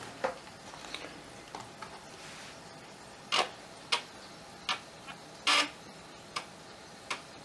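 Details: Amiga 1200 floppy drive after unseizing the track motor and cleaning, reassembled and reinstalled, loading a disk; sharp irregular clicks and ratchety head-stepping bursts over a quiet hum; working normally.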